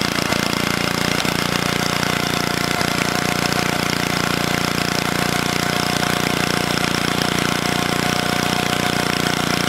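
Busy, even rapid beat at a steady speed with no misses or surging; the little engine runs cleanly and holds its revs.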